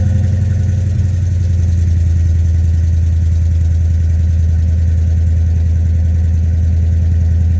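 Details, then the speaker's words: 2009 Ford F350 V8 at idle after fitting a new Flowmaster muffler: deep, steady, even low burble with no rasp, hiss or ticking; sounds way better than before. "Well, suffice it to say, I think it sounds way better than it did before."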